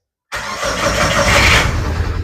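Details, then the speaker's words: 2006 Mitsubishi Lancer, waste spark ignition, customer complains of rough starting and power loss: engine churns then catches and roars unevenly into rough idle; misfire. "okay got like a hard start let's pop the hood and see what's going on"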